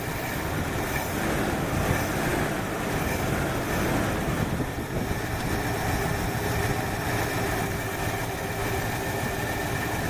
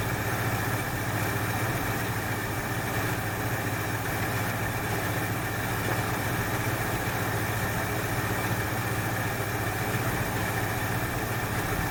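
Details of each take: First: 1968 Ford Fairlane V8 with a flooding carburettor and a wrongly plumbed choke heat line: rough, uneven, lumpy low idle with no clean rhythm; running rich from the flooding carburettor. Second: 1968 Ford Fairlane, flooding carb fixed: steady, even idle with a constant low rumble, no misses; sounds better after correcting a line that had been hooked up backwards; a plug or two suspected fouled from rich running.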